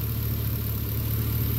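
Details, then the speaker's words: 2011 Chevrolet Caprice PPV with LS L77 V8, worn lifters chirping, now on Redline 10W-60 oil with AFM disabled, about 1,000 miles later and warm with oil pressure up. Smooth, even idle with no tapping: thick oil masks the lifter chirp. "puts it to a pretty much a dead silent you don't even hear it you don't hear any tapping or anything other than any injectors runs great"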